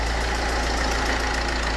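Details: PSA HDI/TDCi (DV4) diesel at idle: steady idle with a faint, fast, regular puffing tick over it from a leaking injector copper seal.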